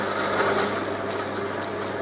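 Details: Holbrook B9 lathe after motor servicing and taking out play; runs quieter, but an unidentified noise remains: rapid dry clicking about four times a second over a steady motor hum; ratcheting noise in the drive, cause not yet found.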